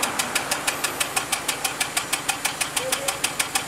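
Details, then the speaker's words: Nissan Sentra 2.0, heard at the exhaust: steady idle with a sharp, regular puff about three times a second, an uneven beat. Mechanic says it is misfiring and a cylinder is surely not working; cause not yet found. "Tá vendo, pessoal? Isso aí significa que ele está com uma mal queima, certamente um cilindro não funciona, certo?"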